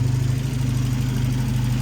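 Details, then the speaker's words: 1993 Volvo 245 turbo with B230F engine, after an external head gasket leak repair and teardown, running on distilled water instead of coolant: steady, even low rumble at idle with no knocks, misses or ticks; sounds healthy. "okay this thing is uh sounding great"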